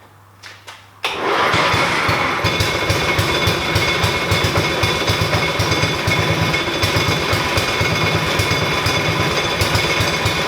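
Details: 1988 Dixon ZTR 311 mower, Briggs & Stratton 11 HP, after reassembly, starting on its own indoors: catches and settles into a steady, fast, even putter, running healthy; some smoke, likely burning paint.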